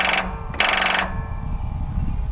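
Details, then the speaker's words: Toro TimeCutter SS5000 zero-turn mower, parked over winter, on boost pack with key on: starter solenoid chatters machine-gun style in bursts with no cranking; starter found bad and repaired. "and pretty sure what you're hearing right there is this starter solenoid chattering yeah definitely can feel it so more than likely we've either got a bad solenoid now low voltage can cause that too"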